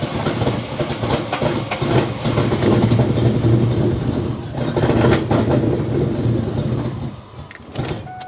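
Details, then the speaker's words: Mustang engine restarted with MAF sensor unplugged after idling well earlier: catches, chugs unevenly, surges and stumbles for several seconds, spits fuel out the exhaust, then dies; rough running and stalling, cause unknown. "Not very happy. Spit a bunch of fuel out the back."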